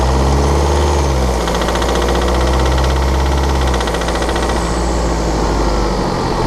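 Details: 2013 BMW 520d F10/F11 with N47 diesel, cold engine under load at 1500 rpm: sharp ticking about four per second over steady diesel drone; rattling/ticking traced to a faulty injector, pinpointed with ISTA test.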